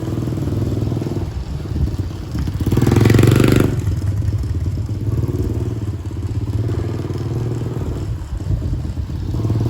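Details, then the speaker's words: Dirt Master 110cc single-cylinder four-stroke pit bike, fresh fuel: pulls cleanly through a brief rev and settles to an even steady beat; sounds healthy, though owner notes it won't shift up, possible gearbox problem. "it sounds nice now we've done that"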